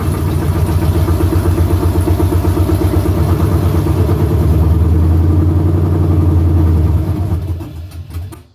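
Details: Stock 5.3 LS swapped into an OBS truck, first warm-up start on open exhaust: a loud, uneven, loping V8 idle wavering before shutdown, running terribly; owner hears intake air gaps sucking air, rear O2 sensors not yet deleted.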